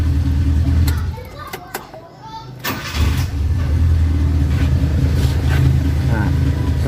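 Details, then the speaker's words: Carbureted Suzuki Katana idling after carburetor adjustment following points setting: idle settles into an even, steady low beat after one brief dip; engine runs smooth and calm. "nah mesinnya akan lebih anteng ataupun terdengar lebih lebih adem atau lebih halus bekerja kita coba Enak Hasta ternyata"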